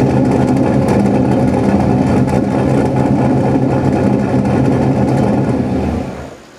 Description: Used exhaust sealant and then checked for leaks using a cue tip with a bunch of loose strands at the top. Looked good, so that was done.